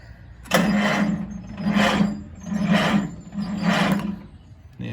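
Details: Farmall H tractor that sat unrun for 9 years, freshly hooked-up batteries, choke and start button used: four separate bursts of steady starter cranking, each about a second, with no firing or catch. Cranks but won't start; no spark suspected at the points, and the fuel bowl gives only drips of crummy-looking gas.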